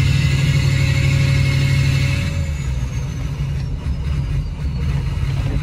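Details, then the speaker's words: Ford 6.0 Powerstroke diesel truck limping home with the ICP (injection control pressure) sensor unplugged: uneven lumpy loping diesel beat, stumbling as it pulls away; running rough but running. "i have the icp sensor unplugged that's why it's running real rough but it's running is running so"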